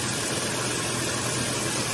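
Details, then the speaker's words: 2015 Mazda 3 idling with engine revved after replacing the A/C compressor and charging about 400 g refrigerant: steady quiet hum, no clicking, knocking or clutch noise, unlike the old compressor; pressures good, about 25 psi low side, normal compressor running. "ممكن شحنت 400 صراحه جرام اشوف ان ممتاز وايضا لا يوجد صوت صراحه ل الكلش يعني ما في اي صوت"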